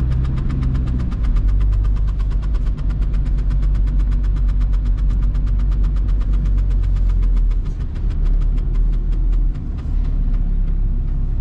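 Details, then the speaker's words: VW Golf 3 1.9 TDI 90 hp (1Z) diesel, driving in rain: even, rapid scraping ticks keeping pace with wheel speed over the diesel drone from the rear; the handbrake cable is rubbing the rear tyre. "noise is here from the back i should check what's going on with this old lady"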